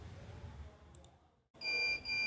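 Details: CCTV DVR sounds a loud, steady high-pitched beep with a brief break after a low room hum drops away; the hard disk shows 0MB capacity and "Status Not Exist" because a weak power adapter leaves the disk undetected.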